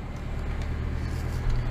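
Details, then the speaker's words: 2009 Mitsubishi Fuso FE145 diesel after replacing three EGT sensors, differential and exhaust pressure sensors: forced DPF regeneration, rpm rising to a raised steady idle to heat upstream exhaust toward about 900°F; deep even drone, no knocks. "you can hear uh if you can't hear but the rpms are increasing so it's gonna do its thing it's gonna basically increase the upstream temperature"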